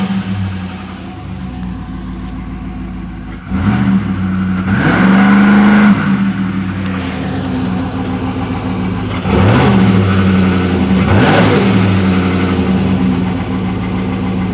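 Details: 2006 Chevy TrailBlazer SS V8 idling and blipped: hollow, regular knock running under the engine note; owner suspects piston slap.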